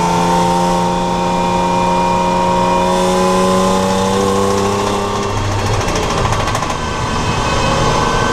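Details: BMW Compact on an out-lap at Snett, engine pulling hard as revs climb with a rough, irregular knocking/tapping over the exhaust note; engine knocking, source not pinned down.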